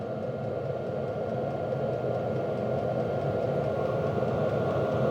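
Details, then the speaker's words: HCalory Toolbox 2 12V diesel heater on 12V DC power station, past glow-plug startup, warming, draw around 35–50 watts on low: soft even fan rush with faint steady whistle, no surging or sputtering; normal low-power run. "Okay, we're starting to get a little bit more warm. So it looks like we passed the startup, which is always the hardest to get these 12-volt batteries to work starting up a diesel heater, is that initial startup to get that glow plug hot enough to make this whole process work."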